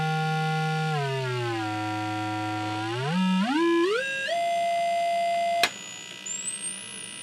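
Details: Scott tube amplifier under repair, where bias had been modified: a pure test tone glides and steps up to a thin high whistle of about 9 kHz, with no hum, crackle or dropouts. Signal is passing cleanly.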